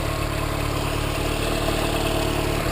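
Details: "3A" petrol engine freshly fired after tune-up with new spark plugs and new oil (3–3.5 L): low, steady idle with smooth pulse, no knocks or misses, much smoother than before; normal idle.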